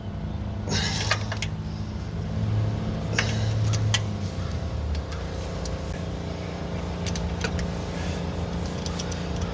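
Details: U-Haul equipment engine after a bad starter was replaced: it starts right up and idles with a low, steady rumble and a few clicks and rattles, without stumbling. Normal idle.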